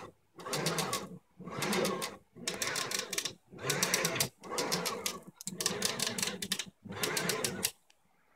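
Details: Ultimaker Original 3D printer, built September 2012: each axis move gives short bursts of sharp, even clicks with quiet gaps, on both axes; persists after bearing replacement, owner suspects wooden frame shifting in lasercut slots.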